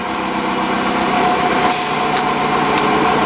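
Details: Nissan forklift with K21 engine, codes E-27/E-28, after replacing the defective camshaft sensor: engine now starts and runs smooth and even with a steady buzzing idle, no misses, knocks or hunting; healthy run.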